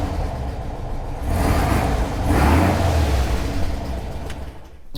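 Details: Air-cooled engine in a Manx buggy, first start after refitting the carburetor. It fires, revs up and settles into a steady low rumble with no misses; running normally.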